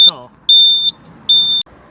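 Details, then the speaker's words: 2009 Jaguar XF 3-litre, failed cluster indicator sounder replaced by an add-on beeper wired into the green/yellow rear indicator loom wire; ignition on, engine off: sharp high beeps, about two per second, evenly spaced; add-on sounder working normally. "Let's put the indicator on. You see that's working. You can hear it beeping."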